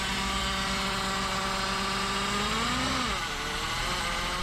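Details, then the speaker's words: 1987 BMW 528e (E28) with 4HP22 automatic transmission, long parked, car bought cheap: steady whine over the engine rises, then sags and drops away with speed; horrendous transmission noise, found to be a clogged transmission filter. "This car had been sitting in our lot for years, and Jerome was able to buy it for not a lot of money, and we started tinkering with it, but found it making this horrendous noise actually coming from the transmission."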